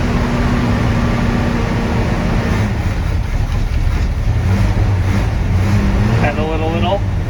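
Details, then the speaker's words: 1970 Chevrolet C20 V8, cold, new fuel pump fitted, choke not hooked up: runs unevenly with a wavering, sagging drone and dies instead of holding idle. "the choke isn't hooked up either so it's a little bit harder to start [Music] oh yeah sounds good until it dies"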